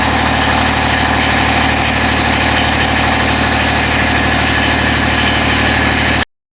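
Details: Husqvarna riding mower after a new battery install holds a steady, even drone at one speed with no misses or pops before it cuts off; normal smooth idle.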